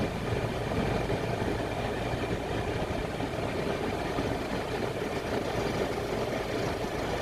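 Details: Citroën C4 Picasso 2016 at idle, before repair: constant busy metallic rattle at the engine front that had grown louder over time; gone with the belt off; new auxiliary belt tensioner fixed it.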